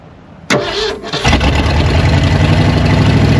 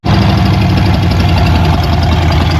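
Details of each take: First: Old Ford truck with new carburetor: steady starter cranking, about four turns a second for seven seconds, with no firing. Fuel starvation: the clogged line pulls only sediment and no fuel despite 2.5 gallons in the tank. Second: Old Ford truck running on its own at idle after fuel line replaced with rubber line to clear blocked gas line; a fuel leak appears; firm steady low idle, even beat, no misses or knocks; normal running.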